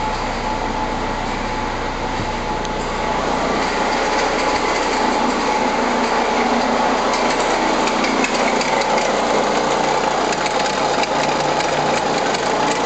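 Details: Renault Scénic I phase 2 1.9 dCi 105 diesel: steady running with a faint high tick over it, about 160 a minute, unchanging; suspect abnormal engine noise, cause unclear.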